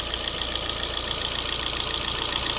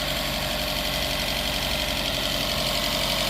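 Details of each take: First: 2012 Fiat 500, smoking but running, lifters quieting as it warms, valve cover off: fast, light, even ticking over a smooth idle with no knock underneath; ordinary valvetrain noise. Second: 2012 Fiat 500 run with little or no oil, engine smoking: quick light ticking, about four per second, over a rough idle that quietens as it runs; lifter tick from oil starvation.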